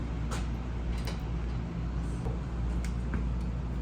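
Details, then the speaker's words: 1965 Corvair engine, just started: steady low rumble with sharp uneven clicking and clacking on top; loud clatter from one side, cause unclear, engine also moving a lot of oil. "What's clacking and clanging, because that ain't right. So let's use Science. let's use some things to figure out what's going on. Yeah, there's just some really loud clatter on this side."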